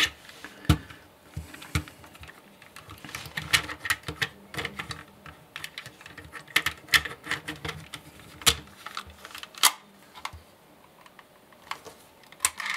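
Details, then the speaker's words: MP3-to-cassette adapter playing in a tape player: irregular dry clicks and clatter, loud and soft, with no steady beat; drive cogs rattling, mechanism likely misaligned (one channel louder). Cause suspected, not confirmed. "okay well it does play but it plays pretty shitty it's number one problem number two those cogs are rattling like no tomorrow"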